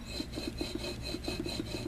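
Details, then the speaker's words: Water pump removed from a 1979 Chevy truck after it leaked and threw belts, turned by hand: a dry scraping rasp about seven times a second. The bearings are shot and the pulley flange is warped and not tracking straight, so the pump needs replacing. "Can you hear that? The bearings are shot in this thing."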